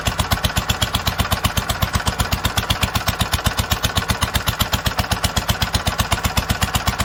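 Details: 1946 International Harvester LBB 3-5 hp water-cooled engine, first cold start after long storage: slow even chuffing idle about four beats a second, steady with no misses, normal idle.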